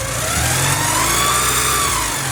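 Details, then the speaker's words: 1984 Porsche 944 after timing belt and water pump replacement, balance shaft belt loosened from slightly too tight (which caused a whine): even idle with a slight rev blip, no belt whine; normal idle. "Seems to be running good. I don't hear any weird noises."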